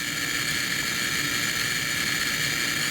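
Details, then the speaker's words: High-voltage generator driving a gas discharge tube (electron beam in near vacuum): loud, steady high hiss and whine, crackling like a neon light. This is its normal running noise. "that noise that you hear that's just that high voltage generator if you ever put your ear next to a neon light it kind of makes a crackling noise as well"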